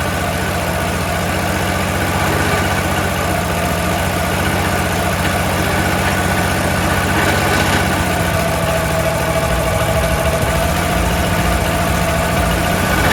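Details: Troy-Bilt 22-inch mower, 4HP Briggs Quantum single-cylinder after sitting, oil good, little gas: uneven lumpy idle with slight hunting and heavy smoke; rough running after long storage, owner suspects oil from lying on its side or dirty carburetor.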